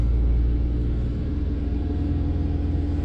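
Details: 2004 Chevy Silverado 4.3L V6 idling rough with a low, uneven stumbling beat; codes show random misfire, MAF, O2 and EVAP faults, misfires on cylinders 3 and 4.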